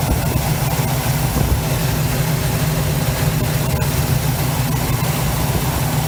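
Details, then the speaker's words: 1971 Chevy C10 V8, long yard-sitter, restarted after an arcing cable fire was fixed: steady, deep, even burble at a slightly raised idle, no stumble or knocks, normal healthy idle. "We'll fix it, and then we can get this thing started again. Idles up a little bit."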